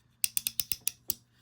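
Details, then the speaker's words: Airex Vagabond Model 1 spinning reel during service: seven crisp, bright clicks in about a second as the reel turns; anti-reverse ratchet engaging properly, normal. "there's the anti-reverse is working you can hear it"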